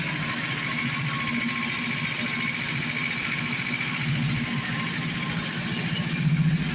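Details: 1980 Chevette barn find with an inline four-cylinder GM engine, parked about a year, running on gas poured into the carburetor: a fairly even, quick idle beat under some hiss with no knocks or misses; it runs fine.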